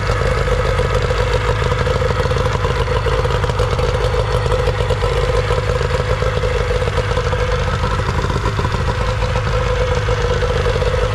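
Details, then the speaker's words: Older Nissan/Tohatsu 18hp two-stroke tiller outboard after a carburetor cleaning, started with choke and primer bulb. A steady, even two-stroke buzz with a smooth, unbroken note and no misses or surging; the motor is running cleanly. "I'm telling you these older Nissan they always seem to run people tend to overlook them"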